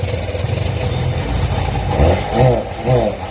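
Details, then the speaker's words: Sea-Doo personal watercraft just fitted with a starter and battery. The starter churns briefly, then the engine fires with a few strong uneven pulses as it catches: starting up and running. "Let's see if we can get it to fire. Last time I had to do all this, it didn't recognize, but it did right there."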